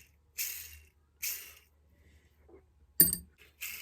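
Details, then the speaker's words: Poulan 245A chainsaw 6203 ball bearings spun by hand: short bursts of gritty metallic rattling; badly worn, really shot. "Bearings. I've been working on bearings for the Poulan. Poulan bearings, You hear them?"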